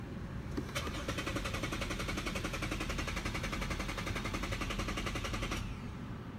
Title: Lexus won't start